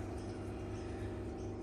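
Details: Samsung washing machine after a wiring harness repair, powered back on: the drain pump gives a steady low hum of even tone with no rattle or grinding. Normal drain pump operation.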